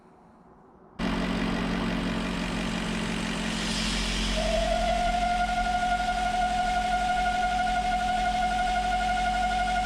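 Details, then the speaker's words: 2000 BMW E39 540i at idle, with the port at the bottom of the crankcase ventilation (CCV) valve plugged to provoke the fault: a thin high whistle from vacuum, characteristic of CCV failure. Other symptoms are a rough cold idle and suction at the oil cap. "I'm going to start the car up here shortly and then plug the poor at the bottom of the CCV to initiate that whistling noise and that vacuum that is characteristic of a CC V failure"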